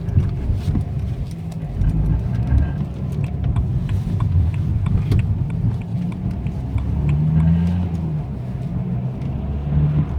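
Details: BMW 123d M Sport diesel driving: abnormal low droning hum rising and fading under acceleration and when backing off; cause unknown.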